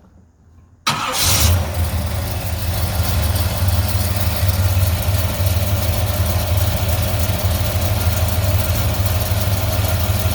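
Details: 1972 Chevrolet Suburban, new 350/330 crate V8 with about 21 miles, headers, Bellflower dual exhaust, started cold at about 30-32°F: quick crank catches at once, then deep steady idle, even low beat, no knocks; healthy cold start.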